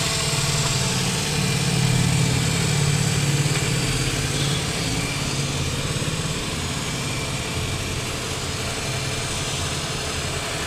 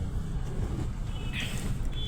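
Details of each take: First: Renault Kwid three-cylinder petrol engine, after a head overhaul and new piston rings to cure misfire, low pickup and poor mileage, starts and idles with a steady, even low thrum, no knocks or misses. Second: Renault Kwid at 4949 km, check engine light blinking: lumpy idle with heavy vibration, severe misfire from low compression and a leaking valve, no pickup, poor mileage; head overhaul and new piston rings planned.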